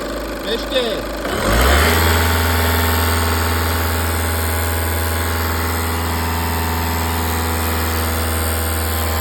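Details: Audi 2.0 TDI common-rail diesel starting and idling: light, fairly regular tick about three a second over the diesel clatter; cause undetermined.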